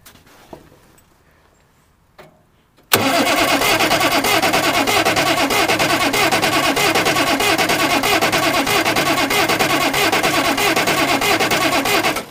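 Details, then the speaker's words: Oliver 770 industrial tractor diesel with throttle full open, cranked to bleed the high-pressure lines after a complete injection pump teardown: faint clicks, then hard, even cranking for about nine seconds that never catches, with no fuel at the injectors yet. "I would think one of these lines that's shorter should be one of the first ones to start having fuel escape from it, to crank this thing to bleed the high pressure lines after a complete tear down of the pump like this."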